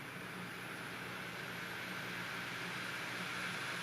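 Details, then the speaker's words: Opened-up optical drive copying documents to a DVD-RAM disc: steady airy whir with a faint, constant high whine as the disc spins near full speed, which it should not do. The copy took about a minute. "again it's spinning up to near full speed and it shouldn't be doing that"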